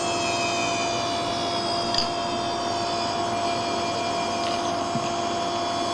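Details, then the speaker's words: Hard drive with finger run across the controller chip on its circuit board; thin steady whine climbing as the spindle motor overspeeds, with small ticks as the head can bang; spindle motor overspeed whine. "you just run it across and then it speeds up the motor and sometimes makes the head bang against the the motor part"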